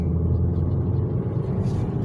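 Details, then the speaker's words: Ravon R3 driving and accelerating after anti-squeak treatment of sun-heated plastic door cards near the door locks: only steady low road rumble with no chirping or creaking from the door trim; no door trim squeak. "при разгоне как слышит ничего нет низких сверчком скрипов нормальный"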